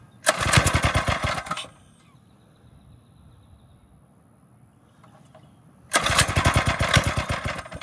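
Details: Single-cylinder engine on a drift quad, freshly fitted with a Nibbi carb, after an initial flood: two bursts of crisp, rapid, even firing (~220 beats/min) with a quiet gap; runs clean and healthy, sounds different from stock.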